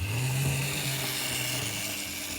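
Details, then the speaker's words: Old Bachmann/Mainline J72 split-chassis model locomotive running with body refitted; smooth even whir and steady hum from motor and gears, no clicks or catching. "that sounded quite good it's a little bit high on the front but doesn't matter"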